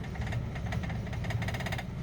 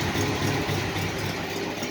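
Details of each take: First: Old six idling slowly after long sitting (fuel suspected gone bad): faint regular light tapping over low rumble; owner unsure if it is a knock, says not a bad one if so. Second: 1968 International, original never-rebuilt engine, about 20–25°F outside, after cold start coming down to normal idle: steady even low rumble, no knocks or misses; normal idle.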